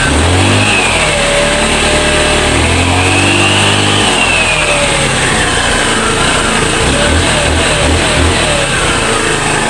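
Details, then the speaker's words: Motorstar Easy Ride 150 after fixing misfire caused by stale fuel and a fuel leak, running again: engine revs up and settles back cleanly with an even exhaust beat, no stumbles or misses; misfire gone, normal running. "Ayun guys nawala na yung palya kasi palyado rin to eh"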